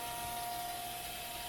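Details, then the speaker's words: Chevalier FSG1632AD-II surface grinder after full rebuild, wheel off, hydraulics turned back on: soft steady hiss with faint constant tone, no knocking or pulsing, hydraulic unit running nice and quiet, normal. "Hear how quiet they are. There's the hydraulics are running. Nice and quiet."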